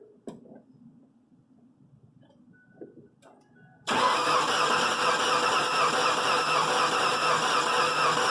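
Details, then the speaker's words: Engine with misfire on cylinders one and two after new plugs, wires and coil, compression gauge fitted, cranking: quiet, then steady starter cranking about two beats a second with uneven compression; dead miss on at least two cylinders, blown head gasket, possibly bad rings. "as soon as my boss got jumped in and started it up uh it's got a dead miss on two cylinders at least"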